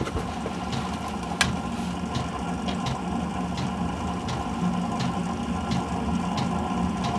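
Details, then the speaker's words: New Chinese diesel heater that smokes on startup, then runs flawlessly; 7–8 °C, 13 V, set to level 2, microphone by the heater: low fan hum with fuel-pump ticks about every 0.7 s as the flame starts; smoke cause unclear, new pump didn't help. "You can hear it start. I'll put it right by where the heater is, and you will hear the flame start. That noise you hear is the flame start."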